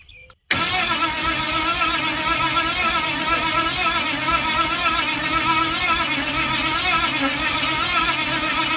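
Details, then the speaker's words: Ford 460 big-block, formerly rust-seized, pulled from an RV, carbureted with distributor: steady fast cranking that never fires; spark present earlier when changing carburetors but none now; owner considers rechecking timing. "Not even a damn chug out of it. I better recheck my timing or something."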